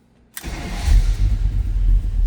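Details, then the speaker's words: 1938 Chevrolet Master Deluxe Coupe street rod with Quicksilver ratchet shifter, 6,341 miles on odometer, cold start with temp not yet up: quick crank, fires right up, steady throaty idle with even pulses, no ticking, oil pressure good; normal healthy cold start. "That was a cold start, as you can see over here. Temp's not up, oil pressure looking good."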